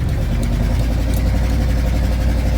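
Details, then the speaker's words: 1977 Dodge Power Wagon plow truck cruising at about 40 km/h: loud, deep rumbling V8 with a raspy blat on the exhaust note from a couple of exhaust leaks, no rattles; exhaust leak. "She's pretty loud. The exhaust, got a couple leaks in the exhaust. That's no big deal."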